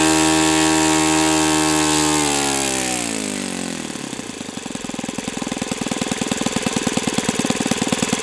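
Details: O.S. FS-91S II four-stroke glow engine on test stand, first run: note falls smoothly from a high steady tone to a crisp, even fast beat that stays consistent. Owner says it feels freer at operating temperature; normal running.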